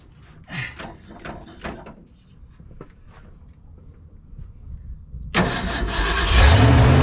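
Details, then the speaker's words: 1970 Ford F-250 field find, first start after adding coolant: cranks, catches briefly with a rising roar, then sputters out and won't hold idle; not getting fuel despite fuel in tank, owner suspects carburetor float; starts then stalls. "okay boy it just doesn't like to keep running does it I think we need some might even be the float folks"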